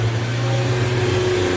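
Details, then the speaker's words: Sigra idling at 300 rpm instead of the normal 600: low, uneven wavering drone with stumbling beat and strong engine vibration; rough idle, shop plans throttle recalibration. "Jadi katanya itu lamsamnya rendah sekali, dan kalian dengar sendiri suaranya yang berebet begitu guys. Sama mesinnya juga bergetar kuat sekali"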